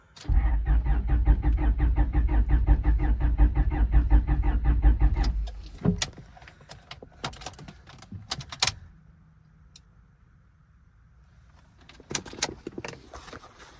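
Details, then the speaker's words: Wrecked, non-running 25-year-old Honda cranks evenly about five seconds but won't start; no fuel pump hum or fuel pressure at key-on, suspected out of fuel, failed fuel pump, or fuse. Possible oil leak near cam/distributor noted. "Okay, keys on, and there's no fuel pressure. So either it's out of fuel, or fuel pump isn't working, or it's a fuse."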